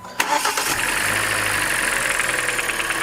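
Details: Kia four-cylinder after tightening the manual serpentine belt tensioner, with headlights and A/C on to load the belt: engine cranks, catches quickly and settles into a steady idle with no chirp or squeal; belt squeak fixed.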